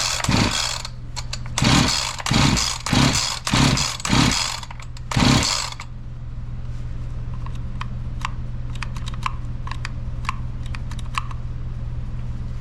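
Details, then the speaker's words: Husqvarna 345 chainsaw that suddenly stopped running, new fuel filter and spark plug, spark and compression confirmed: six or seven pull-cord cranks with one faint pop and no catch; a fuel issue is suspected. "Okay so what do we got going on I got a fuel issue it did pop a little bit did you hear that one time that is not bad not too bad there"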